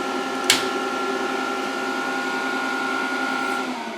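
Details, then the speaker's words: VFD powered at 140 V through series lamp while reforming capacitors: sharp click, then steady whirring hum at fixed tone as the drive's cooling fan comes up to speed after capacitors charge; normal startup. "And there goes the fan. So capacitors are when they're charging, man, they're hungry."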